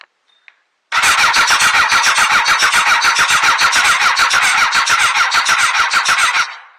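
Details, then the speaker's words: Honda CBR929 previously seized and disassembled, cranking on the starter with no fuel in yet: about three and a half pulses a second, with one stroke periodically lighter; uneven compression, one cylinder weaker. "that one of the cylinders is weaker than the other so huh let me pull the spark plug check for spark"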